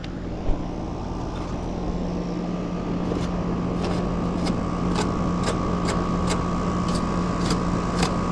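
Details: Mobile-home AC condenser, new tenants reported no cooling: steady low compressor hum under an even fan rush, no rattles or struggling. Condenser runs normally; the tech will probably recommend returning later to clean the coil.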